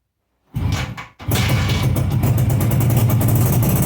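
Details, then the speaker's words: 42-year-old Suzuki 200 two-stroke twin, laid up for years after bad piston slap, now on secondhand barrels and pistons, fresh petrol and battery: first start, brief crank catches at once into a steady, even burble with no knocks, lots of blue smoke; healthy idle. "well that started pretty quickly I thought there might be problems with it"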